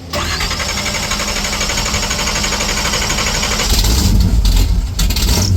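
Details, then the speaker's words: 1970 Chevy Chevelle station wagon, small-block 350 V8, freshly rebuilt and street-ready: cranks and catches at once, even lumpy idle, then several sharp clean revs with no tapping; normal start and idle. "Woo! She's spicy. Wow. It's a little bit heavy. I don't like to step on. It sounds like a Chevelle."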